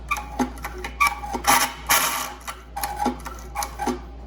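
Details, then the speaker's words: 1972 Evinrude 6hp outboard after a starter rope replacement, rope pulled: harsh, squeaky ratcheting clicks and scraping from the dry recoil starter, which is then lubricated with white lithium/PTFE dry lube and sounds much better. Dry recoil starter. "sounds a little dry, don't it? I'm gonna put a little white lithium on here."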